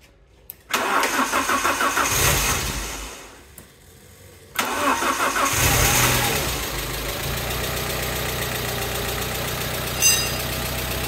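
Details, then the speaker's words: Alfa Romeo GTV after crash repair, cambelt and service done, first start after long storage: quick light top-end tapping at idle from hydraulic lifters dry of oil, expected to quieten when warm; variator now much quieter. "the tapping you can hear is the hydraulic lifters because they're going to be dry of oil after not being used for so long so it should quieten down when the engine's warmed up"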